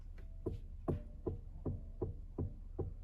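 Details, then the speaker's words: 2007 Mercedes ML320 CDI W164: dull low clunks about two and a half times a second as the steering wheel is worked, felt through the wheel; steering column clunk from worn shaft and firewall bearing, fixed by replacing both. "so you can actually feel it that it stops and pops a little bit and comes along with it"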